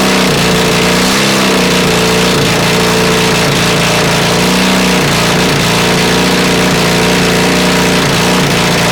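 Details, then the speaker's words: Honda CB450 project, engine never run before, 400 carbs, 400 CDI, 250 wiring loom, auxiliary fuel tank, first start: loud ragged revving rising and falling, never a clean note, flames from exhaust, sounds awfully hot; rough running, mixture suspected. "Turn that off. I think I've gone deaf. But it runs. Wow. That sounds awfully hot."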